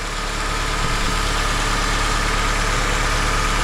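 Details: 2006 Honda CR-V after VTEC valve replacement and fresh oil, first start-up: smooth, even idle with a steady low hum and no knocks, ticks or misses; engine running healthy, no oil leaks.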